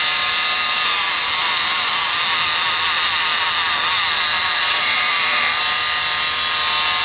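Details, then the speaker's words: Rockwell Sonicrafter oscillating tool, intermittent power, after replacing a cracked resistor and fixing bad solder joints in the speed control circuit: high buzzing whine wavering in pitch; better but not perfect, speed still uneven. "seems like it's better it doesn't seem perfect though it doesn't seem perfect but it's working better"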